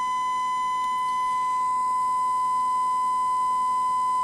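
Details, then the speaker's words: 1968 Panasonic RE-7671 AM/FM receiver, germanium amplifier left channel fed a 1 kHz sine wave: harsh buzzy tone instead of pure, top half clipping from badly set bias. "that's what we've got to try to overcome and it's below DC its below the center line"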